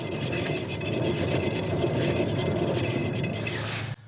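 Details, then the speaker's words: 2010–2014 Subaru Legacy/Outback, jacked up, rear passenger wheel spun by hand: continuous low rough rumble and grinding from the failed rear wheel bearing, with a faint high tinging from brakes on top; replaced with a new hub assembly. "there's a little bit of brake noise but you'll hear the wheel bearing itself making noise and grinding as well on top of the brake noise that high pitched kind of tinging sound is brake noise but that low rumble that is the wheel bearing"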